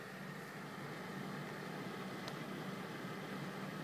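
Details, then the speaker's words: Corsair Hydro H100 CPU cooler on stock fans in a Cooler Master HAF X case, fans at full speed: a steady, even, loud rushing whoosh with a faint hum and no rattle. "this is the sound when it's on full speed"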